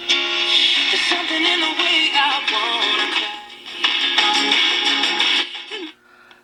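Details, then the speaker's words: Aliza radio kit: music plays loud and clean through the speaker with no crackling, cutting out or fading; volume problem solved. "right well you can hear i've definitely got the volume problem solved uh it is working just fine now"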